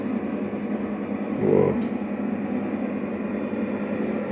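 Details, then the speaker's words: 12 kW electromechanical voltage stabilizer, no load, 220 V in and out, idling about 20 minutes: steady low airy hum from its cooling fan; unclear whether the fan should run without load. "Iată un alt astfel de moment la relanti, ventilatorul a funcționat, ar trebui să fie așa sau nu, cine știe"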